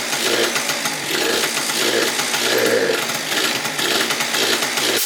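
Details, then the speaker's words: Yamaha BWS 70cc two-stroke scooter, first start after full engine rebuild, big carb, stock pipe, pod filter: raspy high revs with uneven sharp pops through the buzz; backfiring from a missing ground, confirmed by a temporary ground wire. "There's gotta be a ground missing for it to be backfiring like that."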